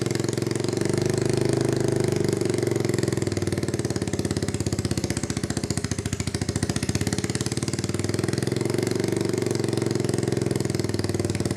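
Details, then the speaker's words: 1986 Honda Fourtrax 200SX quad, first start after a resleeved cylinder, new piston, rings and gaskets: a single-cylinder thump with uneven, surging idle; runs rough, and owner suspects a new spark plug is needed. "it's not running exceptionally well yet um I think we should probably get a new spark plug that would probably help"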